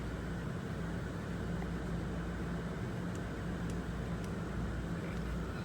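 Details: 2003 Ford Expedition 4.6L after replacing cylinder 2 coil pack for P0302 misfire code: even, steady idle hum with no skips or stumbles; misfire no longer felt, no codes on rescan, engine sounds smooth and healthy.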